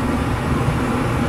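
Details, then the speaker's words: Dometic furnace in a Keystone Cougar RV, refitted after access work: steady, even low roar of burner and blower, no rattles or surging, air warming at vent; furnace working normally. "air starting to warm up there so we're working all right so the heater works"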